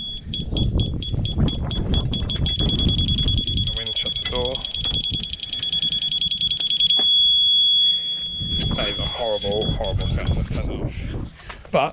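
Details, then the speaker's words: Newly fitted cheap reverse parking sensor kit on self-build campervan, in reverse: high-pitched beeps speed up as obstacle nears then merge into steady tone; sensors working normally. "we should have parking sensors all right oh i heard a beep they're very closer"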